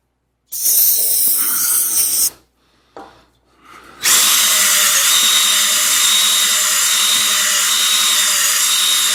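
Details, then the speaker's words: Drill-driven rigid DIY cylinder hone removing bore taper before re-ring: after a short start and stop, a steady, even high whir with consistent tone and speed up and down the bore; taper now gone, honing smooth and even. "I don't know if you can hear that now, but already we're getting consistent tone and and speed as we go up and down. The taper is now gone."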